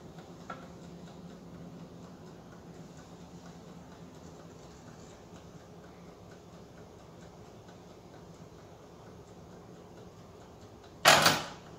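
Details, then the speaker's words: Mid-1920s Waters-Genter Toastmaster 1-D-1 commercial automatic toaster drawing over 2000 W: clockwork timer ticks about eleven seconds, then clacks as carbon contacts open with a small spark and toast pops up; works. "and our toast is well just barely toasty but you saw that little spark as the as the contacts opened up but it it works it's working"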